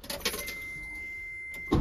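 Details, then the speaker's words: Lorry with intermittent no-start, signal wire previously repaired: thin steady high whine with no cranking beat, then a heavy clunk; starter spins but pinion isn't engaging. "yeah let's change the starter it's not engaging is it"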